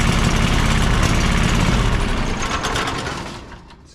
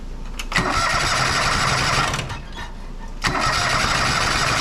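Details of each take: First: John Deere 425 riding mower with Kawasaki V-twin after replacing a bad ignition coil on one cylinder: even, fast, steady beat at full throttle, both cylinders firing, no stumbling, RPM possibly set slightly high; running normally. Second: John Deere 425 riding mower, Kawasaki twin, with one cylinder's ignition coil lead disconnected: three cranking bursts of about two seconds each that never catch, showing the other cylinder is dead; the cause was a failed ignition coil.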